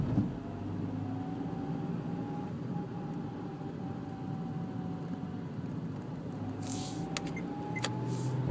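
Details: Sandero 1.4 LPG engine running, with a faint thin whine that slides down and back up as revs fall; the noise appears around 1500 rpm on deceleration, source not pinned down.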